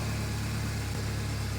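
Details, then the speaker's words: 1996 Ford Ranger 2.3 just after fuel pump replacement, not yet warm: low, steady hum with no ticks, knocks or misses; smooth normal idle. "it sounds pretty smooth I don't hear any weird stuff going on"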